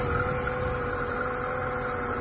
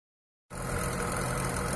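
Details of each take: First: Lada Niva 21214M injector engine, about 63,000 km, after replacing the hydraulic timing chain tensioner to cure a chain knock on startup: smooth, even idle with no chain rattle or clatter; normal. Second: VAZ Niva 21214m injector engine with hydraulic chain tensioner, about 63,000 km, on cold start: engine catches, then a dense metallic clattery chatter over the idle. Timing chain knock, with the chain damper suspected.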